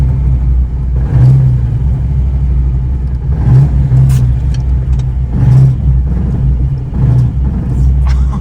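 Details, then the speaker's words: Fox-body Mustang V8 driven on the road with throttle blips: deep rumble with heavy bottom-end knock growing with revs; engine destroyed, serious knocking. "so I'm probably oh this is bad you can hear it Knocking"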